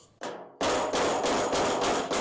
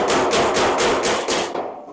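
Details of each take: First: 1956 International cab-over pickup sheet-metal repair: steady hammer-on-dolly blows about three a second, ringing hollow then tightening as hammer and dolly meet over the low spot; normal panel work. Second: Panel beating a 1956 customized International cabover pickup, dolly bridging a collision high spot while hammering the low spot, about 38°F: about six quick hammer blows ringing hollow off sheet steel because the hammer and dolly are not yet meeting.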